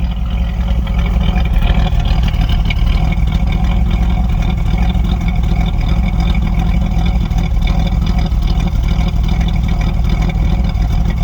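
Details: 1984 Chevrolet Monte Carlo, cold start, heard at the exhaust tail pipe: deep uneven chuffing at idle with irregular dips about two a second; a cylinder misfiring, cause suspected, not confirmed.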